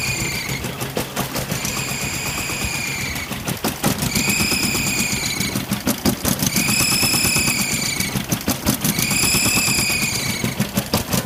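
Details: Toyota 22R engine running rough and rapid with a high squeal coming and going every couple of seconds; owner suspects EGR or vacuum leak, fears a bent valve; source unconfirmed.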